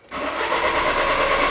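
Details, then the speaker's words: 2000 Peugeot Partner crank no start: starter turns the engine over with a steady, even whirr but it never fires; live data shows engine rpm staying at zero while cranking, so the engine computer isn't reading engine speed. "and you can see the engine rpm stays at zero but when i press the accelerator pedal the state changes from node to yes so we are looking at live data so this means the engine computer is not reading engine speed"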